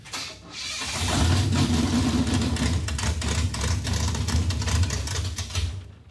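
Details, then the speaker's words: Junkyard 1957 Chevy revived after four decades: catches and runs lumpy a few seconds, then sags and dies when put in gear; ignition timing was retarded by mistake while trying to advance it, so it wouldn't take load. "I know what it is we were retarding it and we thought we were advancing it so when you go and put it in gear it wouldn't take the load and it wouldn't run"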